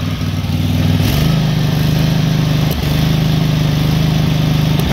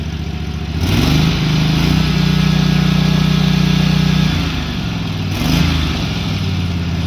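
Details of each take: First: SCAG SWZT 52" mower twin after an aftermarket carburetor replacement: runs a little better, chugging at a steady idle with sharp pops every few seconds; lean backfiring. Owner suspects fuel starvation and plans a new fuel pump. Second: SCAG SWZT 52-inch zero-turn mower twin after fitting a new carburetor, which replaced one that ran rough and backfired quietly at full throttle: picks up revs cleanly, holds evenly, drops back without stumbling; normal running, idle good.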